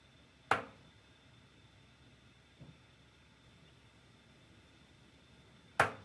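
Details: Kingspan hot water cylinder in a quiet room, making two sharp, isolated clunks about five seconds apart with a fainter knock between. The cylinder is clunking; cause unknown.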